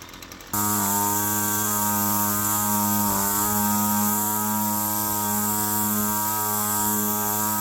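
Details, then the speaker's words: Roadside-found Poulan Pro PP28 two-stroke string trimmer after carburetor work, run at part to high throttle: a high steady buzz that sags briefly coming off high speed, then recovers. A lean condition is suspected, and possibly a failing crank seal. "Sort of running into this before where you come off high speed. Sounds like it's going to stall from a lean condition and then slows down a bit."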